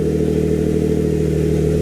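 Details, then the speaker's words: Built Greddy twin-turbo G35, UpRev tune loaded; loud steady idle, even firing, no misses, knocks or surging. AFR about 12, oil pressure about 90 psi and due to be turned down, running well. "AFR is looking so much better. It's at 12 right now. And the car's running so good! Woo!"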